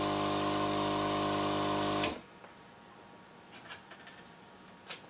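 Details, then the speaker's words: 12-volt Thomas-type vacuum pump for electric car power brakes with muffler packed with cotton puffs; steady even electric hum for about two seconds, then clean shutoff, much quieter; normal vacuum pump running. "time a couple of cotton puffs it's much quieter"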